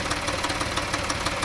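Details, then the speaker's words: 2014 Dodge Journey 3.6 after cam replacement, check engine light on: runs smooth and revs well at first, then after 30 seconds to a minute a light, sharp ticking rattle about six per second rides over the idle, source unknown, sounds like missing on cylinders. "and I can't quite determined where it's coming from but it'll do that still running though there's no knocks or loud ticks it just sounds really weird like it's missing on a couple of cylinders or something"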